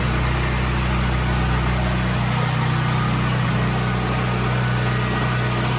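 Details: Brand-new Briggs and Stratton generator with 3.9 hours, previously surging badly and restarted on choke after carburetor and fuel cutoff solenoid work: one even drone with no hunting, governor steady, running right.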